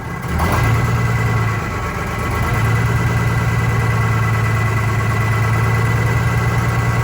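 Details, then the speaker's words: Vintage diesel bus in cold weather, after fuel line work: lumpy, uneven idle about three beats a second, one cylinder dropping out; cylinder cut-out points to number 2 cylinder, which changed smoke level; its fuel injector to be replaced. "So number 2 cylinder, we're going to change the fuel injector and see what happen"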